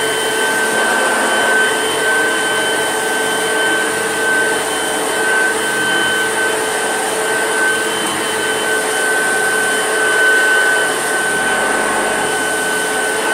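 Smooth, even motor drone with a steady pitch and no screech or rattle: this vacuum is running healthy.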